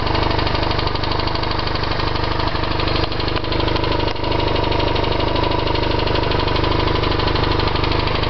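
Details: BMW R1100RT-P twin-cylinder motorcycle at idle: steady sharp ticking only from the right-hand cylinder, not the left.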